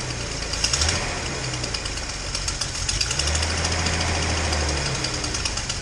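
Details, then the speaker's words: Datsun 240Z after new spark plugs, running better than before: uneven idle with sharp ticking puffs about three or four per second; exhaust leak at cylinder two, possibly at the EGR port, idle still not great. "it's definitely running a lot better than it was um you know you can probably hear i got a bit of an exhaust leak uh and the idle's still not great"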